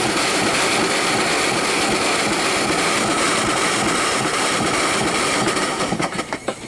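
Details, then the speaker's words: Small steam engine run off a boiler, clearing water, running in reverse: a steady hissing chuff of about three beats a second, even and unbroken as the water clears; a healthy runner that tolerates water. "definitely a runner like I said we put this on the end because it don't mind water so much"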